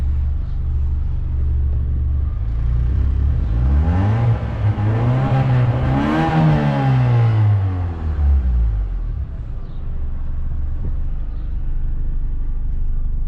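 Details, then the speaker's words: 1989 Honda Civic EF sedan, 5-speed manual, revved from outside the car: one smooth rev rising from idle to a high pitch and dropping back, even and clean with no knock or miss and no smoke; healthy. "See? The car sounds good, no smoke. I'm gonna give it a couple of reps again, so you guys can hear from the outside."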